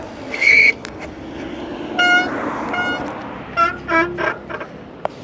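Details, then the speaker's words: Radio Flyer Flex eBike braking hard from about 20 mph on pedal assist 3: short high-pitched squeals in bursts from front brakes that are not yet bedded in. The brakes still grip well. "And we still need to brake in the front brakes so you can hear them squeal a little bit."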